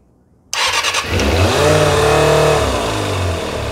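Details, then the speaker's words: 1990 Kawasaki ZX250 after rebuild, started cold on a little choke, with one slide swapped to another carb to see if the fault moves: it catches and settles into a wavering, hunting idle. That carb's vacuum slide bounces and wobbles. "that one Larry if you guys can see there as you can see this vacuum slide on that carburetor there's bouncing up and down and wobbling around"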